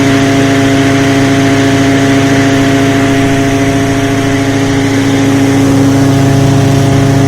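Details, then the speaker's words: Hammer mill after fixing a fan blade and the hammers: steady, even fan whir with constant hum, no rattling or knocking and hardly any vibration; smooth normal running. "yeah now you can just hear the wor of the fan you can never hear hear that before it was just so"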